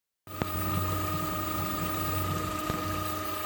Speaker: huge improvement over the old pool pump i was using this one right now right now i'm running at 15 15 15 50 rpm